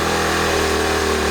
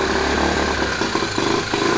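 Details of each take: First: 1970 Honda Trail 90 first run after ~20 years storage and fuel system cleaning, on choke, mix of new and old gas, carb possibly out of adjustment: smooth, even engine note, no clatter or knocking; bottom end sounds like a 1,000-mile engine. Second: 1970 Honda Trail 90 stored 20 years, carburetor and fuel system cleaned, first start on half choke with new and 20-year-old gas mixed: revs unevenly, surging and stumbling, no knock or clatter, slight smoke; rough running, carburetor adjustment or old fuel suspected.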